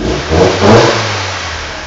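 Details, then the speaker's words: 1998 Honda Civic LX 1.6L after timing belt work and replacement of the worn idler pulley bearing. Quick start and two clean throttle blips settling back to idle, with the squeal now gone: normal revving. "I changed the bearing, so now it doesn't friggin' squeal like a bitch anymore. So I'll just show you that. Here's my key. Sweet. No squealing."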